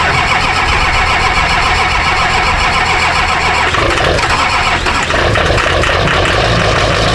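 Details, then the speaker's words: Rebuilt Duramax diesel truck sat overnight in the cold: long steady cranking grind before it catches and settles into a rough idle; slow, hard cold start. "man took me a while to start this old girl but she fired up right"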